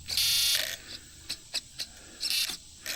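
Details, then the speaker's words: 3D RC boat on its first run: short, sharp high-pitched buzzes between quick clicks as the steering servo strains past its stops; the end points need adjusting. "So, end points are End points are definitely something that need to be adjusted on it."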